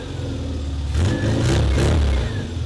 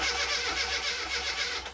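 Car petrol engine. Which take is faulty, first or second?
second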